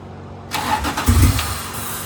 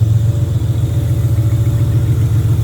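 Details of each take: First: J35 RFR two-seat sandrail that wouldn't run, cranked with starting fluid sprayed into the open throttle. It catches on a burst of uneven firing, then fades without idling, showing a fuel delivery problem. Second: J35 V6 sandrail warming at idle as water temp starts rising; the cooling system likely needs burping and the fuel is old. Steady, smooth idle with no knocks or misses; healthy.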